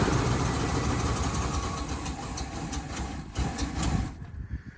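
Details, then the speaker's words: Auction OBS truck, started from the starter solenoid with gas poured in and the fuel pump not working: it catches to a rough idle with a light, regular tick. Owner suspects an exhaust leak, maybe at the manifold. "well it runs guys ah it runs it sounds like it has a exhaust leak though somewhere maybe it might be the manif folder man I thought it was going to be locked up"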